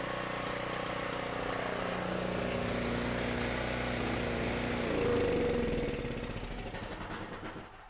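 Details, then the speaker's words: Cheap used generator, said to have about 38 hours, that did not run when bought, now running after fuel-system work and with the throttle reconnected: the small engine runs evenly with a steady beat, picks up, then winds down smoothly. "sounds to me like that thing runs great."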